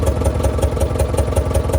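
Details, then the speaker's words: Heavy diesel truck, long locked up, freed and first started, water temp about 180–190, full oil pressure: loud idle with uneven thumping about five per second from non-firing injectors; another injector just opened up, blow-by easing. "We just had another injector open up too, so it's starting, the blow by is going away and the mist is going away in it. It's actually starting to sound really good now."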